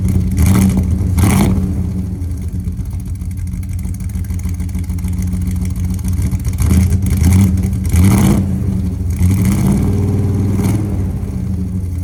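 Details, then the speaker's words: 1999 Dodge Ram 1500 5.2L 318 V8 with years-long cold miss, cold start after new spark plugs, mic at tailpipe: idle stumbles and chuffs irregularly with throttle blips; new plugs didn't cure it, cylinders 2 and 4 wires possibly swapped. "obviously it's a fresh plug but those plugs are not the reason this thing was idling funky so we're still on the hunt I guess"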